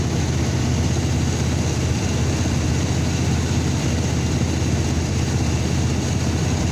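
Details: 2002 Chevrolet S10 pickup petrol engine idling with a lumpy, uneven beat, low thrum stumbling irregularly; misfire at idle, code P0300, with cylinder 1 showing misfire counts.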